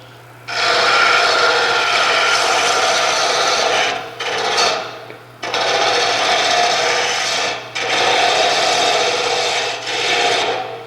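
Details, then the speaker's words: Wood lathe roughing a spinning blank before switching to a skew chisel: steady hissing scrape in even passes with short pauses, a clean continuous cut showing the piece is close to round with only small flat spots left. "Now it sounds like it's smooth and probably a lot closer to this being round."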